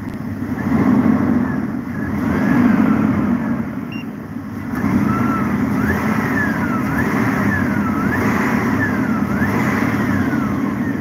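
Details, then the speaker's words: Alternator whine heard at the engine while revving during a max/min voltage check, with charging voltage around 13.5 V: a thin whine rises and falls with each throttle blip. Described as normal charging whine, though diodes are suspected. "ese pillito que se escucha es cuando carga el alternador es un ruido común so como estática aquí cuando un alternado está cargando"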